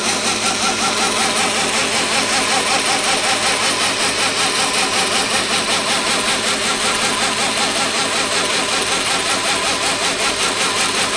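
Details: Reeder 2"x72" belt grinder with 2 hp Hallmark AC motor on a KBAC 27D VFD at about 30% speed: steady belt hiss with a regular throb two or three times a second; motor vibration, owner unsure whether motor, VFD or bouncing belt.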